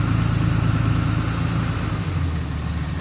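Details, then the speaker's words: Truck in high idle mode, settable via cruise control and automatic when outside temperature is below freezing: steady raised idle with deep exhaust note dipping slightly as the exhaust brake engages; exhaust brake engaged at high idle. "you can hear that goes into a high idle mode [Music] you can actually hear the exhaust brake on now"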